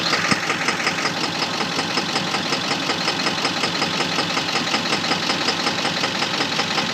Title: Engine knock 7.3